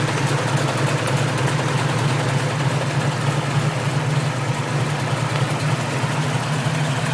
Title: Outside exhaust leak